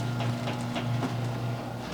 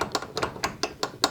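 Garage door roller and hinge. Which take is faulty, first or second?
second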